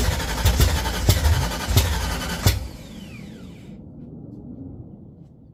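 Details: 1979 Mustang coupe 5.0 V8 swap, first start with carburetor bowl hand-filled: rough uneven firing with heavy thumps, then dies; fuel pump problem.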